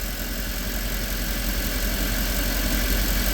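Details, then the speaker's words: Mercedes E63 AMG on a cold first start with a swapped-in second wire harness; low, lumpy idle with occasional uneven stumbles, and a couple of misfires on bank one are still present. "Two harnesses, one engine. Still a couple misfires on bank one at first start."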